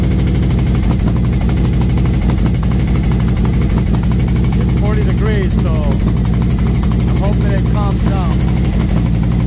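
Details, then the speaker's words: V-twin motorcycle with SS540 cam and valve springs, after repair where a part popped back into place, idling about five minutes warming up at 40°F outside: even loping idle, low rumble, airy intake sucking, no ticking; sounds healthy. "it's been about five minutes I think I think it sounds pretty good"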